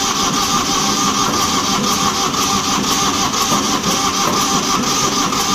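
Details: Old diesel light tower generator, sitting for years, after replacing a fuel hose: steady starter churn with faint whine, no firing at all; air in fuel lines, fuel not reaching injectors.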